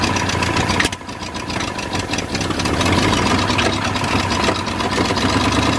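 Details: New engine in a 1953 Ford project truck, first start after verifying number 1 at top and re-marking timing: catches after a brief dip, then settles into a fairly even idle with a low burble; runs, no coolant hooked up.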